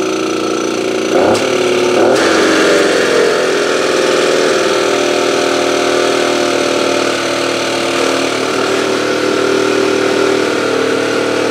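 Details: AV 89 two-stroke moped after ignition repair, now starting fine: quick start then lumpy, uneven idle; low compression, engine turning too freely, owner to check head tightness.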